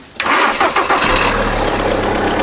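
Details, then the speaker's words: VW Polo 9N3 started with a jump-starter: short crank, then it catches at once and settles into a steady idle without stumbling; engine runs well, no misfires, a clean healthy start. "so von ersten Geräuschen her würde ich sagen läuft ganz gut"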